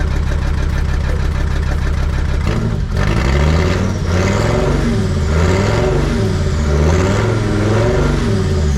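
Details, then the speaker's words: Jeep WJ 2.7 CRD diesel with the exhaust silencer cut off during turbo work. A deep, booming open-exhaust note swells and falls with throttle blips. Smoke is somewhat reduced; owner suspects the silencer was partly to blame but plans to do the turbo anyway. "what do you guys think that sounds like I think it sounds pretty freaking mean"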